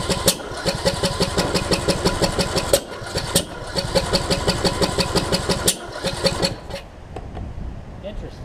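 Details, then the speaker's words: John Deere D110 mower after a rebuild following a loose flywheel magnet: fast cranking, about three beats a second, with jerky kickback that never runs, as if it wants to run but won't. The owner suspects ignition timing is off. "i was doing some weird stuff and i don't know what it is doing with uh kicking back and whatnot it's like it wants to run but it won't"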